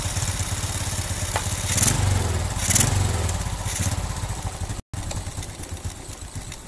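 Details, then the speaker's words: Carbureted Honda Revo Absolute/Blade after the air screw and then the idle screw were adjusted for fuel economy: an even, steady single-cylinder idle with regular firing and no hunting or stumbling. The idle is now set right. "Nah, ini udah pas. Oke, jadi seperti itu para brother semua cara setel karburator yang tadinya boros ya di motor Revo Absolute atau Honda Blade agar irit di bagian bensin atau BBM-nya."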